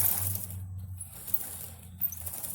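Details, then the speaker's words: Honda XR650R after rear wheel bearing replacement, wheel turned by hand before chain adjustment: soft irregular slapping and patter as the too-loose drive chain slaps its guide. "you hear it slapping a guide up here it's because it's too loose"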